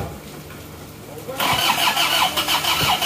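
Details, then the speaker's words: Freshly rebuilt diesel, first start: starter drags slowly, about three pulls a second, engine nearly fires but won't start; injection pump timing set too far retarded. "hampir hidup hamp hidup P ya timeng Bos pom terlalu mundur sebentar kita geser dulu kita rubah timeng bospongnya"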